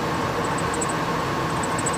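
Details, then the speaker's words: 1998 Ford Expedition ex-police SUV idling: high bird-like chirps in quick clusters from under the hood, a dry idler pulley bearing. "like a little bird or something chirping underneath the hood"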